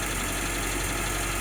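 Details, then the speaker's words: October 1952 Jeep M38A1, cold start, at about half choke, exhaust valves adjusted after a new exhaust manifold: even, steady fast idle with no misses or knocks; it later dies and surges, a suspected carburetor issue. "Runs pretty smooth and pretty good at that fast idle."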